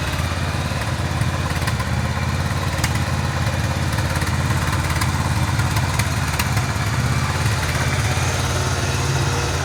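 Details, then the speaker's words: 1985 Yamaha Virago 1100 V-twin, sat eight years, fresh fuel, running on full choke: loud uneven idle with lumpy, irregular firing and a hunting beat; owner suspects the carbs need cleaning. "H well maybe the carbs need to be cleaned"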